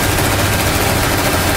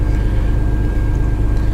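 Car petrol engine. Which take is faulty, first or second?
first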